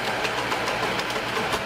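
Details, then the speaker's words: Vintage Bell & Howell 16mm film projector running forward: fast rhythmic clatter with sharp ticks about four to five per second over the motor whir, mostly a slipping belt plus a cracked shutter-mechanism worm gear. "That's the heart of the entire shutter mechanism. It's called a worm gear. And it's making quite a bit of racket."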